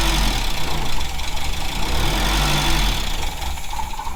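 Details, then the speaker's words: VW Scirocco Mk2 Tropic on syringe-fed fuel with suspect pump removed: engine holds a lumpy but continuous idle, suggesting carb and choke are okay and the fuel pump is at fault. Engine running. "um it seems to run so that means the car's probably all right"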